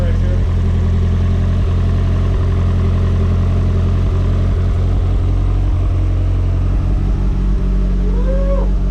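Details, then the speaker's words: Nissan Silvia, freshly built forged SR20 just after first cold start: deep, steady idle with smooth even firing beat, no knocks or ticks; 70–75 psi oil pressure, no leaks seen; idle normal, motor sounds good. "Sounds good. Oh. It always has that idle, that's normal. Yeah. The motor sounds good."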